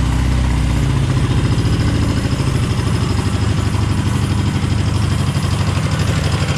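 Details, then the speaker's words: Dnepr boxer twin motorcycle after resealing cylinder base and pushrod tubes, left carb has starting issue; low lumpy thumping idle about three beats a second, uneven firing, sounds like one cylinder not pulling. "sounds like one cylinder stands doesn't it so sometimes it feels a bit funny"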